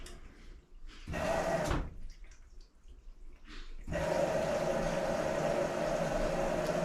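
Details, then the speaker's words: LG 2301 front-load washer, normal cycle start after door lock and load sensing: soft click as the inlet valve actuates, then steady rushing water filling; normal water fill. "then we should hear the valves actuate and the water come into the washing machine that's the proper saw we want you hear valve actuate and then water flowing in"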